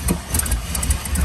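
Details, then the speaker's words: 2001 Chevy Silverado 1500 5.3, warm: low lumpy stumbling idle, worse when up to temperature, dies in gear; bank 1 and 2 lean codes, multiple misfires, traced to a cracked EGR tube vacuum leak; new plugs and wires already fitted. "When it's warm, it almost seems worse of a miss and it's rougher, and it'll die in gear and everything when it's up to temp."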